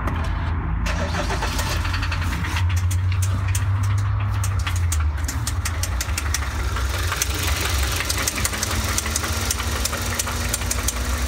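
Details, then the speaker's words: 2012 Hyundai Santa Fe with 2.4 G4KE engine, 87,400 km, recorded by the owner: a heavy, sharp knock pounding steadily through the running engine, rod knock attributed to the oil pump. "но бывает музыка иного характера которая вселяет тебя тревогу и волнения за будущее своего автомобиля и такую музыку нам прислал владелец от этого автомобиля"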